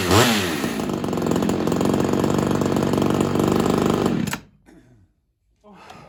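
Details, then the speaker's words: Ported Homelite XL-76 two-stroke chainsaw with ongoing fuel starvation, run after fitting a new Proline fuel filter: wavering buzz for about four seconds then abrupt stall; not fixed, owner suspects carb needs modifying or a heavier reed. "don't think that fixed our issue I think we're going to be modifying the carb but just to make sure um I think we're going to be either modifying the carb or having to figure out a heavier Reed"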